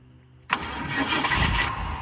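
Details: 1979 Ford Fairmont two-door police car, first start after its carb was cleaned out and spark confirmed: a quick starter whirr, then it catches and settles into a rough but steady, very low idle.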